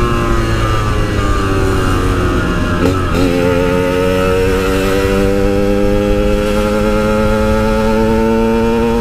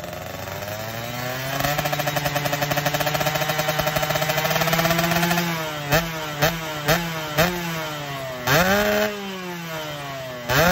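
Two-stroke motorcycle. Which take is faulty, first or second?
second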